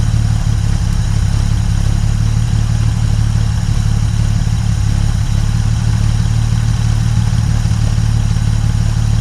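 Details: 1950 Dodge Meadowbrook engine idling after rewiring, 40 lb oil pressure, radiator being filled: deep, uniform idle holding steady with no skips or tapping; sounds pretty good, normal idle.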